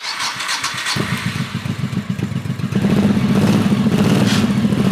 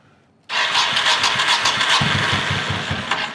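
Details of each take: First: 1985 Honda VT1100 Shadow with sidecar, neglected and reportedly hurricane-flooded, carbs rebuilt and primed, enricher used: cranks about a second, fires, runs rough and loud briefly, then settles to a steady, even idle; rust-coloured discharge from exhaust. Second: 1985 Honda VT1100 Shadow with sidecar, neglected and reportedly hurricane-flooded, cranked with enricher on: steady starter churn, even compression pulses about three to four a second, never fires; cranks but won't start, carbs to be pulled. Cause suspected, not confirmed.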